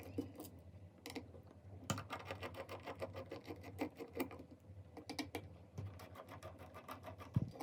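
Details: Seagate hard disk drive that suddenly failed with all data lost, quiet rapid mechanical ticking in uneven bursts over a faint spin hum; constant knocking from a failed drive.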